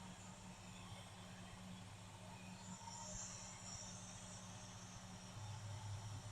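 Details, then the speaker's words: Carbureted engine idling after a new accelerator pump was fitted; steady, even low rumble with no misses, knocks or ticking, though one lifter sometimes ticks at first crank or randomly: a normal, smooth idle. "drippage this old girl is always run good yeah until the lifter goes to ticking"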